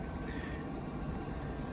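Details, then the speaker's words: Portable battery generator powering an electric kettle near its 1440 W continuous maximum: steady, even low whoosh with no rattle or scrape; internal cooling fan running normally under high watt draw, turns off after a minute. "that's the sound of the generators internal cooling fan it only comes on when there's a high watt draw on the generator but don't worry it's supposed to do that it'll turn off after a minute or so"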